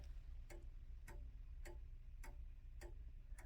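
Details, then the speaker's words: 1890s Junghans calendar wall clock, standard free-swinger movement, restored with new mainsprings and 21 bushings. Beat set by sliding the clutch: crisp, even ticks about every 0.6 s (about 100/min), running in beat. "And on this one it's easy because there's a clutch, so you just need to slide it into the correct position, but I'll go ahead and do that now. Alright, now you can hear it's nice and even in beat."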